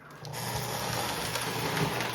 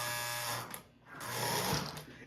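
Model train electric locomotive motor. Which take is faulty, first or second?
second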